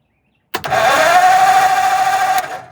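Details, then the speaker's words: Starter cranking a 1948 Ford truck, a junkyard find that sat for decades; after its wiring connections were fixed the starter spins up quickly with a steady, brisk whir for about two seconds, cranking faster, strong and healthy. "Boy, that starter That starter is even better with all these connections fixed."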